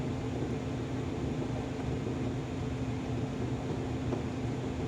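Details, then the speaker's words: Navien combi boiler just converted from natural gas to propane, running in low fire mode with the manometer stabilized at negative 0.06; a soft, steady low hum with faint fan whir and no surging or popping, burning evenly at minimum fire. "So again, we're still on low fire mode. We're stabilized at 0.06, negative"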